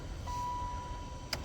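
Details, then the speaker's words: 1996 Impala SS heater/AC blower motor that had stopped working, new PM131 replacement tested plugged in before mounting: soft, steady low whir on low speed under a faint chime, no rubbing, ticking or wobble; running smoothly. "It's already on, low speed. Let us see. Seems like low speed."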